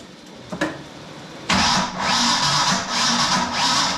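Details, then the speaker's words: Project car "Brutus", sitting in a garage about 11 years: a click, then steady starter churn with an uneven rhythm that never catches; cranks but no start, suspected distributor phasing issue because the intake manifold blocks full distributor rotation, unconfirmed. "Almost like we got something not hooked up or something, you know? There might be a phasing issue of the distributor because with this intake manifold, I can't turn the distributor all the way over"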